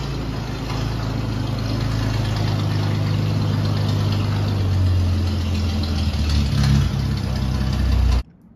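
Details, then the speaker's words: 1948 Dodge Power Wagon, barn-fresh and first got running two days earlier, runs surprisingly well. Settles into a steady, even low rumble after the cold start with no knocks or stumbles: normal cold start and idle. "the Fantastic cold start you just heard comes courtesy of my 1948 Dodge Power Wagon I got this thing running two days ago runs surprisingly well"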